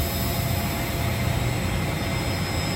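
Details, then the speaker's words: York YK centrifugal water-cooled chiller back online after a building management system crash had shut it down in economize mode. The fix was a forced remote run relay signal. It gives a steady low roar with even high tones and no surging or knocking, running normally. "okay as of now we've got the chiller back online"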